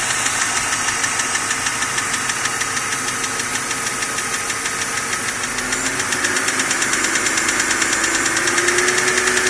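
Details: BMW M52 inline-six, warm, ticking only above 85 °C engine temperature, louder over last 6 months; tappets (HVA) and guides already replaced; hot oil pressure at cylinder head only 2.25 bar at 5000 rpm. Fast even tick about three per second, tappet-like; cause unclear.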